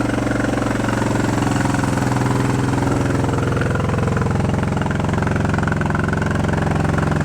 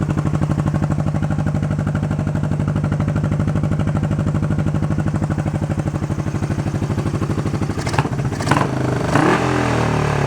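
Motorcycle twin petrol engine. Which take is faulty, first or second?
first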